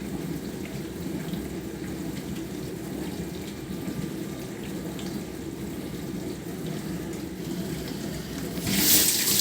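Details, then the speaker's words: Bosch SMV50E10RU/D5 (Type SD6P1B) dishwasher, complaint hums and won't start, test on short "glasses" program: even rushing water swish with low recirculation pump hum, no gurgling or stalling; pressure decent, no errors, so normal wash circulation. "давление неплохое Ну по крайней мере ошибок никаких наблюдаем"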